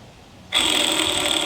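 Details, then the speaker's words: Tigershark TS1000R jet ski engine torn down with the crankshaft out. One main bearing is spun by hand and gives a rough, gritty rasp with a thin whine. It is worn out ("shot"); another main bearing is quiet and good, and the rod bearings are good. "Yikes. That one is shot."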